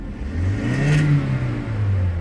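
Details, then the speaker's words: Car that stalls when the AC is turned on: the engine revs up and drops back smoothly with no stumble, pop or uneven beat. The misfire counter shows zero, so there is no misfire and it runs clean. "So there is no any misfiring here."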